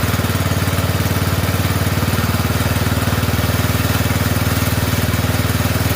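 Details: Poulan 12538 XT riding mower, 12.5 hp single-cylinder, 38-inch deck; steady single-cylinder thump about four beats a second, no misses, idle turned down, oil burning off muffler, okay for now.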